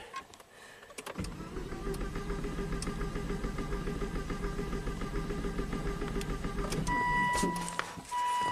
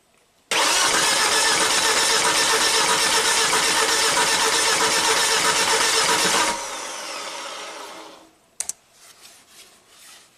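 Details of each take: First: 2004 Volvo XC70 AWD, 278k miles, timing belt engine, no-start after two shops worked on it: quick, even cranking about three beats a second that never catches. Pressure trace shows spark far from TDC, an engine-based timing problem. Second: 2004 Volvo XC70 AWD turbo, 278k miles, no-start: cranked on the starter with a 265 PSI in-cylinder pressure transducer on one cylinder, about four even compression beats a second, no stumble; normal cranking, about 60 PSI peak.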